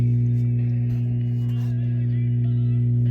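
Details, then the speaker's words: 1939 General Electric export shortwave tube radio playing with a steady 60-cycle mains hum under the program; rectifier tubes probably okay but the old filter capacitors are suspected to be failing. "What you hear now is there's a 60 cycle hum in the background because the rectifier tubes are probably okay, but the capacitors on them are not."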